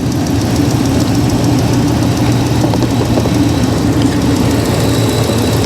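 A steady, even V8 rumble at idle with no knocks or misses; the engine is idling healthy and smooth.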